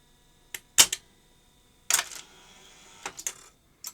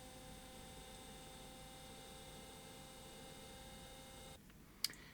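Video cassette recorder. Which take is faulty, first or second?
second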